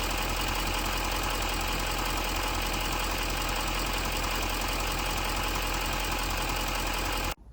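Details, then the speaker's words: 6.6L Duramax diesel Silverado/Sierra after replacing the failed exhaust clamp at the turbo downpipe base (exhaust smell in cab at idle): steady, even diesel clatter with no puffing or ticking from the exhaust, smooth until shutoff; normal idle. "So we'll fire it up, test it, and then pop the wheel well cover back in, and off we go."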